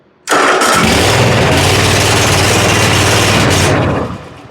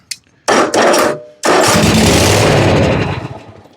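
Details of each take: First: John Deere zero-turn mower (233 hours) after fixing corroded fuses, the safety switch and a bad ignition switch, brake on: cranks once, catches right away, runs evenly, then shuts off cleanly; normal start. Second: John Deere zero-turn mower with a bad switch: engine catches with a burst, sputters, runs briefly, then fades out; starts then stalls.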